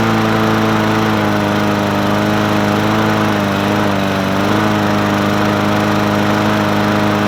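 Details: Murray 20-inch 4.0 HP push mower (20415x8D), a found mower, primed and started on a cold 53°F day: single-cylinder engine holds a steady, even buzz with only a brief dip around four seconds; running clean and healthy.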